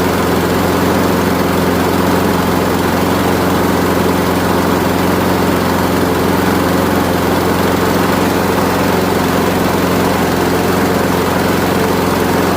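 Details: Craftsman Gold mower, Briggs Quantum 6.75 single-cylinder, low on fuel: after running slow briefly comes up to speed, steady even drone at full speed, no misses or surging; choke actuating correctly, healthy.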